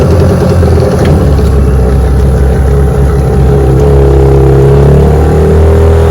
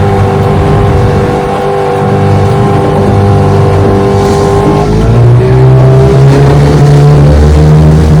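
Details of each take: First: Restored 1996 Johnson 15 hp outboard (J15RED), warmed up, on lake test run under load: loud drone sagging and wavering in pitch; motor bogging from overheating, later traced to a stuck thermostat. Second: Restored 1996 Johnson 15 HP outboard (model J15RE), warmed up, on-lake test run after new stop switch handle: loud smooth even drone climbing in pitch with throttle, no misses or knocks; runs great.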